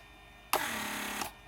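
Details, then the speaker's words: Mercedes S320 repaired PSE door lock pump, replacement pump very powerful: steady even buzz under a second then clean stop; pressure reaches about 6 bar, vacuum equally strong; healthy normal operation. "as you can see it reaches above Five Point like 6 bar which is a lot that's great vacuum is the same way 6 very healthy"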